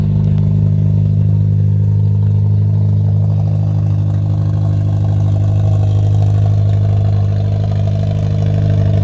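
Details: 2003 Honda Element with its catalytic converter stolen gives a loud, deep, raw exhaust drone, steady at low speed and much louder than stock. Missing catalytic converter.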